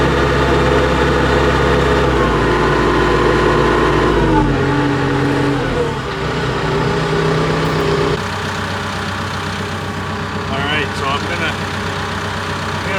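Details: Cat D3K2 dozer diesel: engine drops from fast throttle to a steady, even idle with no misses or stumbles, and later pushing in a pile showed good power, no codes, soot load about 10%.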